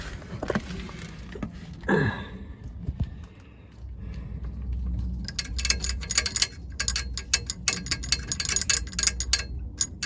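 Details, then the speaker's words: Metallic rattle from under a 2002 BMW E46 318Ci (N42) at idle: a low steady idle with bursts of bright, tinny rattling. It was first thought to be timing chain rattle, but it comes from underneath the car, not the chain at the front of the engine. "when I went underneath what I thought was the train rattle seemed to be coming from underneath the car and this is what I found you can hear it now so just under here"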